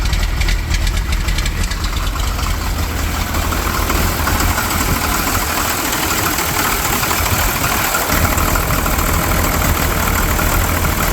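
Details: 12-valve Cummins diesel at idle; uneven, lumpy beat with a hard clattery edge that never smooths out. Rough idle; owner suspects the injection pump, not confirmed.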